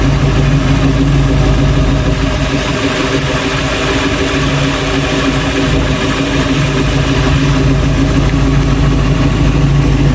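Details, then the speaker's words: 1966 Ford Bronco after full restoration, first start with the engine behind a transmission (previously only run on a stand): deep low V8 rumble holding a fairly steady idle without stalling or much hunting; normal idle. "I'm surprised it idled, kind of. That's the first time it's been behind a transmission."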